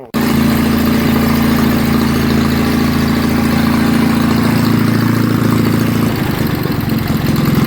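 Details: Wisconsin TFD engine test-run after its carburetor, which had sat over 25 years, was cleaned without new parts; air covers are off. It fires at once and runs loud and steady at an even, fast rhythm, with a slight tone change near the end.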